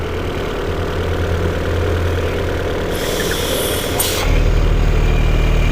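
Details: Peugeot 408 at idle: fast, fairly even flutter about three per second that stops when the oil filler cap is removed and returns when refitted; noise from a faulty valve cover PCV valve, fixed by replacing the cover, not the timing belt.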